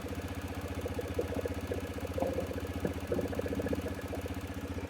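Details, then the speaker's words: TVS Raider BS6 single-cylinder bike, cold engine, after fixing missing and idle surging from 1000 to 2500 rpm; ISCV now working, rpm settles from about 2000 to a steady, even putter with no misses; normal stable idle. "पहले क्या हो रहा था, 1000 से लेके सीधा सीधा 2500 तक चले जा रहा था, जो कि अभी अब देखिए यहाँ पे RPM स्टेबल है।"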